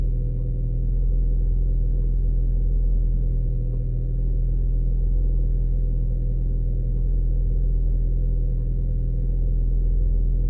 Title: Audi 1.8t cold start misfire